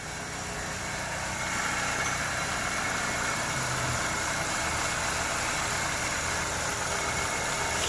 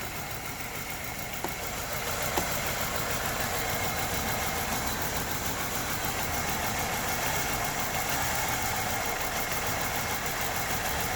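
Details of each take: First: LPG car with a structurally modified dual-spec fuel system, which shook badly before: restarted after a makeshift soldered repair with an interface coil on the injector; it now idles steadily with a faint hiss, only normal engine vibration. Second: Structurally modified LPG-converted car idling with an uneven, stumbling beat and heavy shaking; jumping injector wiring removed the shake, and a poor contact or solder fault is suspected in the added gas computer beside the main ECU.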